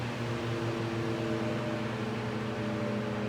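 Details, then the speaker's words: Vintage Mimar model 425 fan after cleaning and oiling the rear felts, running on low, where current drops only slightly from about 1.65 A on high. It gives a steady soft whir and air rush with no ticks; it rattles a little on high. "So there you are. That's how she runs. Pretty nice deal on low. Because it moves a lot of air and it's not that loud."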